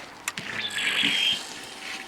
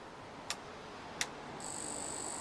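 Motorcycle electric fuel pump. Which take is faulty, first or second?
first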